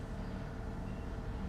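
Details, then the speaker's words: 2023 Nissan Altima that stalled while driving and at start (code P0101), after cleaning the dirty MAF sensor: low steady idle with AC on, no surging or stumbling; stable with no trouble codes. "Okay, stable na siya. At wala na rin siyang trouble code. Kaya hindi na siya kagaya kanina na gumaganon-ganon yung RPM niya."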